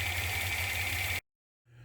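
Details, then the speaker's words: Z motor deliberately fitted as a known-bad motor, running slowed down: steady high whine over a low motor hum until it cuts off; failing drive motor suspected, to be confirmed by isolating the motor. "now you can kind of hear that whine but we need to make sure that's what it is"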